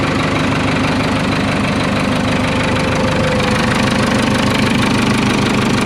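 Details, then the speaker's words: Case 580K backhoe diesel, just fitted with a new starter because the old one dragged and cranked too slowly, worse in cold weather: it fires quickly and settles to a steady, even clatter with no stumbling. A normal start and idle. "so this bag has probably never started that well since i've been messing with it that old starter must have been dragging there for quite a while"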